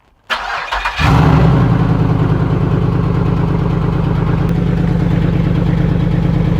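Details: LS V8-swapped rear-wheel-drive Celica GT-SS on its first start in the car, then driven over to the lift: short crank, then a steady, deep, even lumpy V8 idle with no knocks; no oil leaks, smoke or fire.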